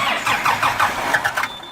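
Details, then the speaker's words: Kubota M120 diesel tractor, sat four or five years, fire-damaged wiring rebuilt and PTO switch fixed: even starter cranking, about five compression beats a second, never fires; crank no start, owner suspects lift pump or air in fuel, no fuel at cracked filter line. "won't start i think my lift pump out well i don't know if it's lift pump or just got air in it"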